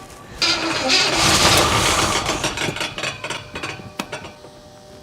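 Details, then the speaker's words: 1977 Oldsmobile 442 barn find sat 30 years, first test fire on starting fluid with new spark plugs: brief rough burst of uneven stumbling pops fading away, not getting fuel (fuel pump later found dead); misfire. "okay that's the fan that's not okay that's not motor noise sounds like she's misfiring oh she's misfiring a little bit"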